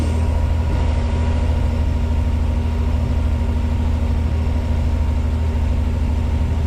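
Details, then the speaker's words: 1986 Pontiac Fiero SE V6, cold start: steady fast idle hum at 1,220 rpm measured by timing-light tachometer, slowly coming down as it warms; known high idle problem, cause not yet found. "She's idling at 1,220 RPM. And it sounds like it. So, we're going to let her warm up."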